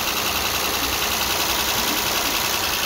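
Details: 2010 Mitsubishi Pajero after the drive belt broke, jumped the timing and bent all inlet valves. First start after replacing the valves and head gasket and refitting the timing belt. Steady, even idle with a light regular tick about 2.5 per second, no knocks or misses; running normally.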